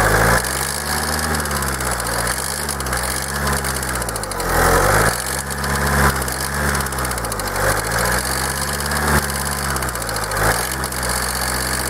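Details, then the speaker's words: Kia 2.0 CRDi Bosch common-rail diesel, warm at idle: hard clattering knock throughout, idle wavering slightly; stethoscope check found the knock spread over the whole engine with no change at any injector, cause not pinned down (later shown not injectors). "Niestety była niemożliwa to stukanie przenosi się tak jakby po całym kurczę silniku i nie ma na żadnym wtryskiwaczu zmiany"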